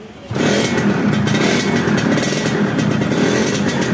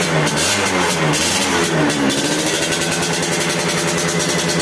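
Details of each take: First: Yamaha F1ZR two-stroke after engine rebuild, revving: flat, nasal, hollow note with no power, unable to idle when throttle is lowered; weak compression traced to the spark plug seat in the cylinder head. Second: Yamaha F1ZR two-stroke after fitting a replacement cylinder head, the old one corroded and leaking: crisp buzz with a couple of throttle blips, then holds a steady idle without dying; running properly.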